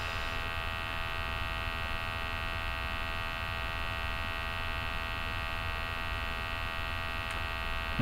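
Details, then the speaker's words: MultiRAE gas detector switched on at startup: steady even electric hum with fixed buzzing pitch, no wavering or catching; sample pump running normally while sensor IDs are checked. "so the detector and the pump comes on as you can hear it gives you dates it's checking the sensor IDs"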